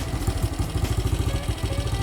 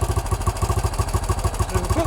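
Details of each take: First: 1968 BSA Starfire single: healthy idle, fairly even thump about three beats a second with no misfires or clatter. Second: 1968 BSA Starfire single, after not starting well: engine idling on its own carburettor idle setting once the idle screw is turned up, before mixture adjustment; even, steady thumping at about nine beats a second, sounding better.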